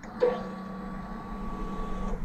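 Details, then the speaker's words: Honda CBR650R at key-on after an air filter change with all connectors reconnected: soft steady electric hum for about two seconds, then cuts off cleanly, no error messages. Normal fuel pump priming. "and there you can hear that you heard the fuel pump priming and there are no error messages displayed and that looks great"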